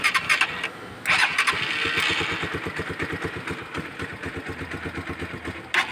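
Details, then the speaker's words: Euro Daang Hari 186 motorcycle, member-sent clip: starter chugs about four pulses a second before the engine barely catches and stumbles unevenly; hard starting, cause unknown. "Regarding sa isang ating member na 186 hard starting Soo ko sa inyo yung paan kung paano mock yung motor na ito so hard starting po siya"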